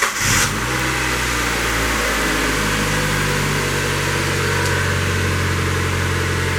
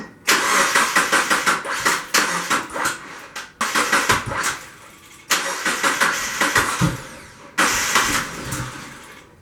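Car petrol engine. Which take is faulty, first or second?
second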